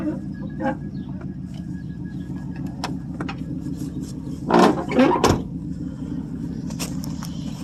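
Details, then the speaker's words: 1979 Oldsmobile Ninety-Eight 403 V8, unstarted about three months, on 20-odd-year-old gas: slow, hard cold start with low uneven churning and irregular rough bursts before it runs. "I guess it's going to be a whe run cold start too cuz it hasn't been started in probably three months"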